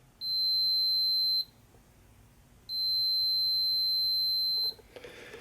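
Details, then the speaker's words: 1967 Zenith Royal 3000-1 Trans-Oceanic transistor radio, multimeter continuity test on transistor collector: two solid unbroken high beeps over a second long, like shorted probes, transistor dead shorted and bad, to be replaced. "you hear the meter when it is a solid beep like that means it's a dead short same thing as if I did this"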